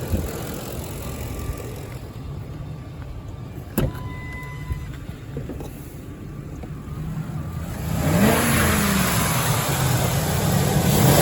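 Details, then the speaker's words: 2005 Ford F-150, 5.4 Triton V8: deep, even V8 rumble at idle swelling smoothly as throttle opens near the end, no tick or knock; sounds good. Normal engine revving. "Man, she sounds good. All right, Kyle. I hope that was what you were wanting to hear, man."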